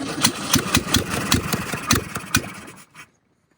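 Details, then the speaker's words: 1968 VW Baja Bug, barn find sitting for decades, with gas poured into the carburetor bowl: ragged, uneven firing with loose pops for under three seconds, then it sputters and dies. Very low vacuum; spark loss suspected. Runs briefly then stalls. "Man, it does not have a lot of vacuum. Whew. Not at all. I think we lost spark. Yeah, that's what it sounds like."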